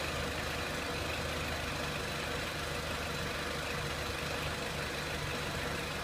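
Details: 2003 Renault Clio 1.6 petrol, intermittent stalling traced to loose crank sensor connector (sensor good), crank sensor scope reading good; steady even idle, no misses, stumbles or knocks throughout; normal idle.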